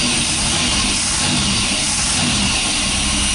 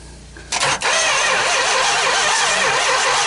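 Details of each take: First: Mopar 440 big block V8 running after 23 years without starting: settles into a steady, even idle with a low rumble and no knocks or misses under a hissy background; normal idle. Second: Mopar 440 big block V8, first start attempt in 23 years, starter wired direct: quiet, then harsh, rough grind as starter spins it over steadily; turns freely, not seized.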